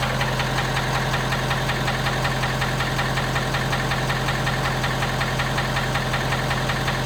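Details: 2017 Ford F250 Power Stroke diesel V8 cold start: steady sharp knock at idle, roughly two to three raps a second, which subsides as the truck warms up.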